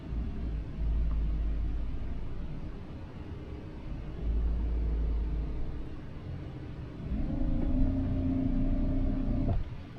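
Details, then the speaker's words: EDGE K4 Smart Drive eFin on kayak/SUP near the 5-mile mark, battery at 5%: thin motor whine holds a couple of seconds over wind then cuts off abruptly as it stalls; owner suspects something in the prop, drive then dies completely. "It's starting to stall. Can you hear it? 5%. It's stalling."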